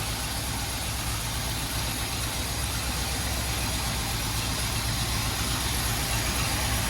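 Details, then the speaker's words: 1981 Oldsmobile Delta 88 after a lifter tick fix, with the choke adjusted to sit slightly open for cold starts. Starts with a little stumble, then recovers to an even, steady idle with no misses or knocks. Normal idle. "stumble a little bit but then come back now we got the choke set up nice beautiful"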